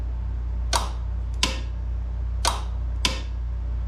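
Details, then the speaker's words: Craftsman GTS5000 riding mower with Kohler engine: PTO clutch fed directly from a makeshift battery after its switch showed zero resistance; four sharp single clicks about a second apart, quiet between. The electric PTO clutch engages but seems to struggle, a stiff clutch. "so that means it's definitely engaging but it seems like it's having a little bit of a hard time but it is engaging"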